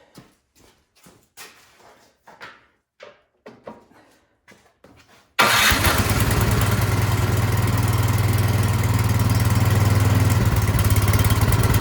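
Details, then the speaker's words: Craftsman snowblower small engine after a tune-up and carburetor cleaning, test-run before reassembly, choked and primed: after about a dozen recoil pulls it catches and holds a steady, even buzz with no stumbling. Normal running. "all right it's running great so now I know I can put it back together"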